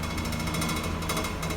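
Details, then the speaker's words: Land Rover Series 3 under restoration, engine running in four-wheel drive while diagnosing drivetrain vibration: fast hard metallic rattle over drivetrain hum from a support bracket not yet tightened, not a fault; wheels running fine. "that rattle just so you know is that it's just that support here which is not not tight yet so don't worry about that"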